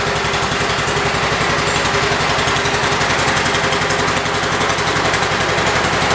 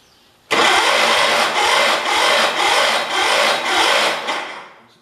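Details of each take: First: 1978 Kohler K341 single-cylinder engine on a 316K after rebuild with new rings, first run: steady, even beat at constant speed with no knocks or misses; running healthy. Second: 1978 Kohler K341 engine on a 316K, just rebuilt with new rings, first start attempt: harsh rhythmic chuffing under two beats a second for about four seconds that never catches; cranks without starting, cause unclear.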